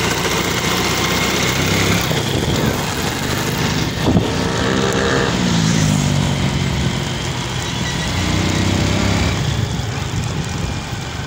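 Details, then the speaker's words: Honda XRM110 before overhaul, revving under load in second gear: a rough, whirring, helicopter-like gear noise; a chipped second gear is suspected. "ayan maingay sa kanyang second gear So yun ah sigurado nito Hindi ako nagkakamali yung may sira siguradong napingas o nabungi siya"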